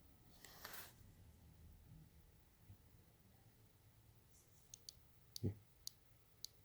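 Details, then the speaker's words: Aero 15 laptop, newly set up with only Chrome open: faint, irregular sharp clicks from inside the machine, heard when using the computer; owner doesn't know the cause. "you know it sounds like a clicking inside the machine it's really annoying"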